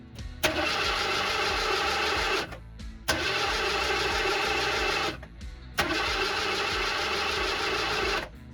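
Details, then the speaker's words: 1979 Ford Bronco in restoration, first start after fueling tank, fuel line clamps had leaked: three two-second cranks turning over evenly but never catching; probably not getting fuel. "don't think I'm getting gas though it's just tough so I'm gonna figure that out because this thing usually fires up right away so if it doesn't that's usually because it's not getting gas"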